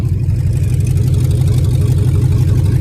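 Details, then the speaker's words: Truck at auction, listed as non-runner but runs: deep, loud, throaty rumble pulsing about three per second at idle, far louder than stock; catalytic converter suspected stolen, not confirmed. "somebody stole the cat I'm willing to bet and they totaled it"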